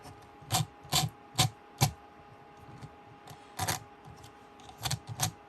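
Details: HB Racing D2 Evo RC car rear differential turned by hand, eccentric bearing holder flipped to two dots down: uneven clicks and notches roughly twice per second; notchy gear mesh attributed to a molding issue in the eccentric bearing holder.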